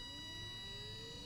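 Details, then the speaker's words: Windshield wiper DC brushed motor under Arduino PWM speed control, duty cycle ramping up and down: thin high whine over a quiet hum with lower tone sliding with speed; normal PWM motor whine. "actually within the range of human hearing so there's a pretty distinctive whining sound that you'll hear from that so be ready for that when it comes on"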